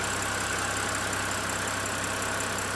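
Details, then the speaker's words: 2013 BMW 328i E93 N52 at idle after replacing the valve cover with a torn CCV/PCV diaphragm that caused loud belt-like screeching, with a rough fluctuating idle before: steady smooth low hum, no ticks, hiss or whistle; normal idle. "But man, it runs good now though. It runs perfect."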